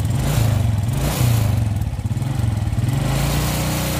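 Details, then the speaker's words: Carbureted Suzuki Smash motorcycle: choppy, stuttering exhaust that sputters each time the throttle is slowly opened. Spark plug blackens and fails quickly, fuel consumption is high, and the carburetor is suspected. Misfire under throttle. "suaranya itu pokoknya tiap ditarik gas itu suaranya Jadi tiap di tarik gas pelan-pelan itu langsung suaranya merebetnya jadi kelihatan sekali"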